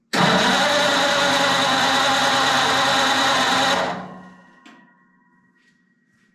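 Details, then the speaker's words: Flathead Ford 8BA V8 converted to 12V with new ignition parts, a known former running engine: steady fast cranking for about four seconds with no firing. No spark is seen on the spark checker, so the coil is checked next. "didn't see any I didn't see any fire from that so uh before we do anything I know this was a running motor let's just check this uh coil I think let's check it real quick"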